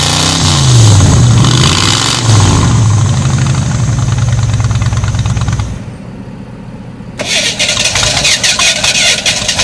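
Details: 1985 Ford Bronco V8 first start in 8 months, coolant suspected in cylinders; cranks and catches, then lumpy uneven rev with stumbling beat and dip, running on about six cylinders; may need head gaskets, maybe heads.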